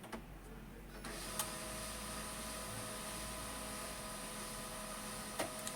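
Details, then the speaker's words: HP 1005 printer with the scanner cable fully disconnected: quiet steady motor whir with faint repeating ticks that never settles; printer keeps initialising continuously because it cannot find the scanner circuit. "यह देखिए अब यह क्या है continue हमारा क्या है initialise करता रहेगा करता रहेगा करता रहेगा क्योंकि अब हमने इसके अंदर को बिल्कुल हटा दिया है"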